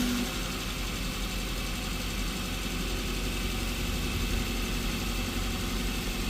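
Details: 2021 Maruti Brezza petrol, 50,000 km, first start after engine overhaul for suspected bent connecting rod, coolant refilled, not revved: smooth, even idle with a steady low hum and no knocks or ticks; quiet, healthy engine.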